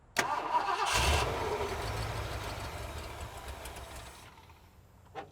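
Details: 1970s Ford F-series pickup with 460 big block, sat 25 years, just fitted a new fuel pump: starter spins the engine briefly, then fades without catching; cranks but not firing yet.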